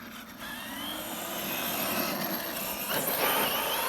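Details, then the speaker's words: Arrma Kraton EXB 1/8 RC monster truck after diff teardown (shims, fluid checked) and fixing pinion grub screw rubbing the motor mount: smooth electric whir with throttle, no grinding or clicking, gear noise gone; drivetrain quiet. "It definitely sounds a lot better, guys. Bring it back this way. That definitely sounds a lot better. I'm not hearing any of that gear noise I was before."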